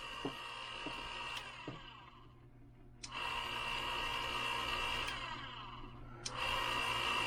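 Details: Hornady Case Prep Center after repair of a breakdown: a few light clicks, then a steady high motor whine comes up and holds evenly; motor spins up and runs normally.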